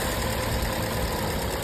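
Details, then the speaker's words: Car engine at idle after the fix for a daytime no-start: a leaking fuel-tank vapour solenoid valve had let fuel vapour into the engine, making the mixture too rich. The valve was tapped to reseat it and the car started first try. Steady, smooth, even idle; normal. "现在问题已经彻底解决了，发动机运行的特别平稳。"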